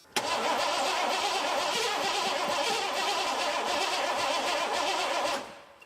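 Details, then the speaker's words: 1986 Ford F-150 5.0 early EFI, unrun for over 20 years: starter cranks steadily about five seconds but it never catches. Both fuel pumps run, though not getting proper power; owner suspects unhappy injectors. Crank, no start. "All right, it's trying. What does that mean? Both fuel pumps definitely running. So that's telling me that we got some injectors that are not happy with their lives, and I don't blame them."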